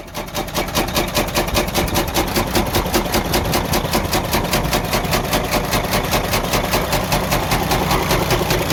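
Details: Freightliner Cascadia DD15 diesel idle with a heavy, regular knock about 2.5 per second; suspected major internal damage, engine considered gone and needing repair/overhaul.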